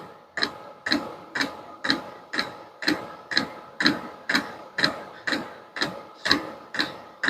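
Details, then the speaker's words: Vevor diesel heater at its lowest setting, hot after running: crisp evenly spaced ticks about twice a second, with just one fuel drop per click so the line is not even full; normal pulsing. "right there's the fuel line like I said just a drop every click right so that Line's not even full"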